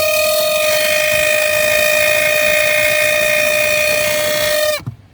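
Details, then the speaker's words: Chevy Tahoe 5.7 blower motor, also dead on second speed: loud constant high-pitched squeal that cuts off sharply when fan stops; dry blower motor bearing, to be cleaned and greased; resistor possibly also replaced. "this is annoying me it sound bad sound like a rat attacking a dunk and they both squealing that's what it sound like"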